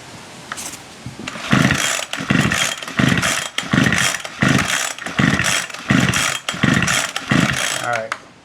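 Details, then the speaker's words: Ryobi SS30 string trimmer that won't start, with a broken primer and the kill wire disconnected: repeated recoil pulls about once a second, the engine spins but never fires; no spark, bad ignition coil. "if it we don't see spark and unfortunately we have a bad ignition coil"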